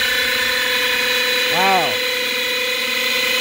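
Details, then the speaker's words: 2007 Lexus GS450h hybrid at 226k, steady high whine over running drivetrain with brief swooping tone, seeming to come from back side of engine, low down; owner suspects generator issue, unconfirmed. "It sounds like it's coming from the back side of the engine, down in there. I'm thinking it's a generator issue."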